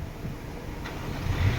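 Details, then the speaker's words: Mini Cooper Countryman that would not crank (silent start) after its failed starter motor was replaced: engine cranks briefly, catches cleanly and settles into a steady rising idle without grinding or clicking; normal start. "นี่ครับนี่ครับติดเลยครับโหจบเลยไดสตาร์ทตัวเดียวนี่นะไดสตาร์ทตัวเดียวนะครับเครื่องติดเลย"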